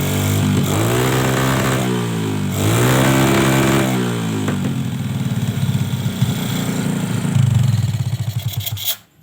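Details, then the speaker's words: Suzuki Smash with the main jet enlarged too much, complaint of throttle bogging and surging when hot: revs rise and fall, then the idle turns lumpy and stuttering before it dies. Running far too rich, with a misfire. "kalau semacam ini ya kondisi suara yang semacam ini motor ini terlalu boros bensin ya tadi waktu apa melebarkan supir besar itu terlalu kebesaran makanya di sini menjadikan motor ini malah brebet sekali ya"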